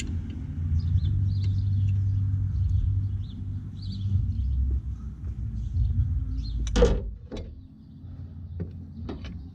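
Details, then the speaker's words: 1989 Ford F250 7.3 IDI diesel after fuel system work, glow plugs cycled: low, uneven cranking rumble for several seconds, never catches; fuel starvation from loose supply line, runs once tightened. "I guess I forgot to tighten down the fuel supply so now that I tightened that down let's see if she'll crank"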